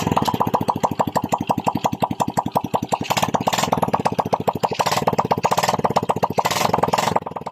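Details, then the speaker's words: Honda XRM 110 after cylinder block and head reassembly, run with the muffler off; loud open-pipe popping at a steady even beat, a clean idle with no misses and no white smoke, so assembly is good. "Kung naobserbahan nyo, walang puting usok na lumalabas sa bungangan ng kanyang cylinder head. Ibig sabihin guys, maganda ang pagka-assemble natin sa ating block at saka sa ating cylinder head."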